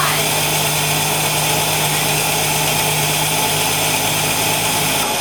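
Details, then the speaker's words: 1965 Ford Falcon inline six with EFI, started cold to settle whether a valve taps: steady, even idle under a loud intake hiss from the IAC, with no ticking or tapping; valves sound normal. "I don't hear I told you! I told you! I don't hear anything. Ah, I was right!"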